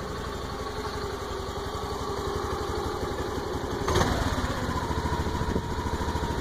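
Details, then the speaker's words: Honda Activa 125 scooter with only 115 km, idling: light, fairly steady clicking about 160 per minute riding on the idle, source unknown. "What is this strange sound? It has only run 115 kilometers and you can hear the sound coming out from, I don't know, from where it is coming."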